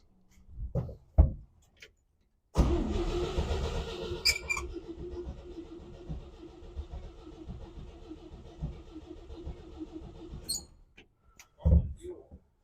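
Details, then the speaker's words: 1957 Chevy 3100 truck sitting for years, not run from tank, still on points: starter grinds engine steadily about eight seconds but it never fires; owner suspects points and condenser. "got a little panther panther piss oh boy you usually start right up sitting for years"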